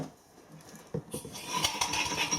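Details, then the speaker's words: Steam engine after crosshead modification: light quick tapping, a soft knock each turn, no heavy bang; eccentric made far too slack a fit, to be addressed; otherwise running nicely. "It's the eccentric. When I made that, I made it far too slack of a fit."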